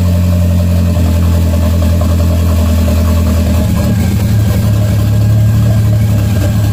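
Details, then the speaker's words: Engine idling after a vacuum line was capped to fix a suspected vacuum leak or idle issue: smooth, steady, even idle with no smoke, then pitch rises cleanly when revved, no stumble or hunting. "all right guys I don't know if you can hear me very well but it's idling pretty good um the good thing is that there's no smoking or anything like that so I'm pretty happy"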